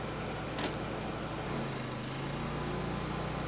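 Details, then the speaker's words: Vintage Briggs & Stratton Pulsa-Jet generator, unused for years, carburetor fully rebuilt, putting out 125 V at 60 Hz: steady drone sags and drops pitch under a second as the air conditioner kicks on around 750 W, then recovers; engine bogging under load. "There, it did it. It faded out for a second, but we're pulling 750 watts."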